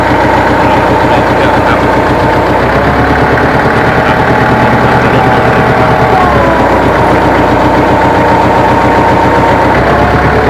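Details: Tractor engine labouring with strained whine at full hitch raise: no lift arm free play overloads the hydraulic pump, causing loud noise and slow implement lift and possibly pump damage; fix is resetting lift arm free play.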